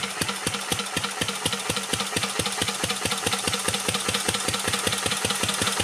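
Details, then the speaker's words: 1949 Petter A1 air-cooled single-cylinder stationary engine, once converted to gas, running under load from a homemade generator: crisp, even thumps about five or six a second with no misses or knocks; normal running. "And then once it's running, I'll shut up for a bit so you can enjoy the sound of the vintage engine."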